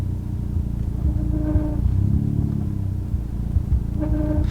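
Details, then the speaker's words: Stage 4 Fiesta ST with new TTV Racing clutch and flywheel, pulling away in reverse with no throttle: low engine rumble with a nasal squeal rising twice when engagement is done hard or wrong; silent with correct bite. "If I go back hard and I don't get the engagement right, you'll hear more of that squeal."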